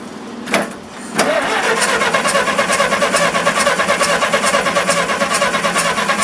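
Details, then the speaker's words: Massey Harris 44 tractor, first start after sitting seven years, after filing the points, with a spark that is still weak. It cranks, catches and settles into an uneven chug about two beats a second, running slightly rough; cause not confirmed. "so running just a little bit a little bit rough"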